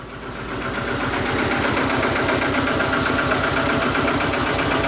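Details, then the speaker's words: Proton 1.3 GL off the road for years, just started in the garage and warming up: uneven, chuffing, tractor-like idle at about four beats a second with occasional stumbles; rough idle, misfire suspected, not confirmed. "it's going back to Lincolnshire, so it needs to sound like a tractor to be fair."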